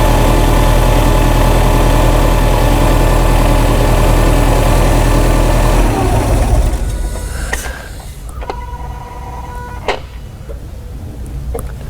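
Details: 2008 Subaru Legacy, after new camshafts fixed cam sensor codes, misfires and stalling, driven over 100 miles: low even thrum of three or four pulses a second, settling quieter and steady, no stumble; healthy idle.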